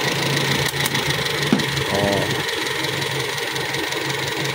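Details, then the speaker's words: Toyota Kijang Super carbureted engine after overhaul (stuck tappet and combustion-chamber leak fixed), carb still needing work: low, steady, even idle with no knocks or stumbles; idle now smooth and even, sounds healthy. "udah bagus jadi bisa langsam dan rata"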